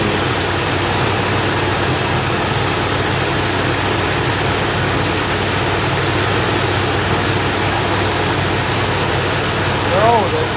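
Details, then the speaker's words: 1964 Buick Electra V8 after intake manifold core plug replacement: smooth even idle with no puffing or ticking, exhaust leak at bottom of intake manifold fixed. "so much quieter when it doesn't have exhaust leaking out of the bottom of the intake manifold"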